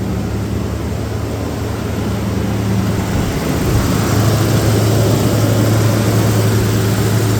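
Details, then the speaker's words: 1995 Toyota 4Runner, 3.0L V6, 215,000 miles, after full EGR valve and gasket replacement: steady even low idle, smooth rumble with no puffing or ticking; previous prominent exhaust leak and check engine light now gone. "here don't hear any exhaust leaks was pretty prominent that you could hear that before but now you don't hear anything"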